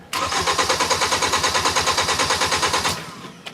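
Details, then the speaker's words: 2010 Hyundai Sonata 2.4, intermittent no-start with no trouble codes: starter cranks evenly about three compressions a second but engine never catches. Tach moves, coil power feed steady, but test light shows no coil control flicker, suggesting no spark. "looked the same, didn't it? So, no control. We're missing spark."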